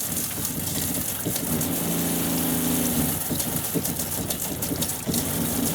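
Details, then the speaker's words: Low water pressure on a 2001 American Tradition RV running from the fresh water tank on its electric pump: pump hum surges and drops out about every second under rushing flow from the outside shower while interior lights flicker as it kicks on; cause not yet confirmed. "Um I can hear it uh cutting in and out. I can see the interior lights actually flickering as it's turning on."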